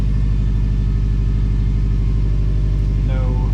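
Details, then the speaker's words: 2017 Subaru STI (EJ engine) on COBB Accesstuner basemap, first start with new injectors and aftermarket fuel pressure regulator: fired right up, deep even idle rumble, steady beat, no misses or roughness; normal idle. "abnormal roughness or anything when I first started it in fact if you see more important drops rough for one two three four no rough this counts on the first start off with new injectors which is pretty good"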